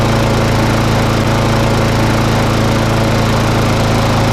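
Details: Briggs and Stratton single-cylinder mower, previously failing to start and running very rough from bad fuel in the tank, now after a running repair: loud steady drone at constant speed with no surging or misfires, running smoothly.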